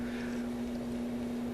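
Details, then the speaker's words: Newly installed bathroom ceiling fan in a condo: steady low hum from the fan motor under the airflow, unlike two other fans installed there; owner disappointed, cause not confirmed. Motor hum. "I'm kind of disappointed in this ceiling fan to a certain extent because it's making that humming noise there's two other ceiling fans I put up in this little condo and they're not making this humming noise at all"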